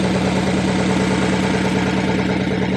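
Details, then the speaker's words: Oldsmobile Super 88, cold start at about 28 degrees, after timing adjustment: loud, steady, even fast idle with high RPM while warming up, no knocks or misses; normal cold fast idle, though engine has at times slowed, sputtered and died while warming up. "Sorry, it's pretty loud, but this is still warming up. That's why it's so RPMs are high."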